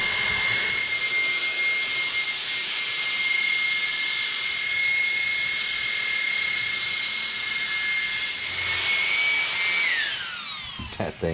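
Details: Arrma Felony twin-motor RC car, new Game Changer RC Typhoon cooling fan, single fan on 3S: loud steady high-pitched whine holds even then drops smoothly as fan spins down; healthy high-speed fan.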